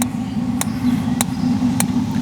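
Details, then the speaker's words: Dometic RV refrigerator on LP gas after sitting unused for a couple of years: sharp igniter clicks about every 0.6 seconds over a low hum, with the water heater burning nearby, while air purges from the gas line; it then lit. "may take a while to get the air out of this line too this gas line [Music] as long as it's clicking it's trying to ignite"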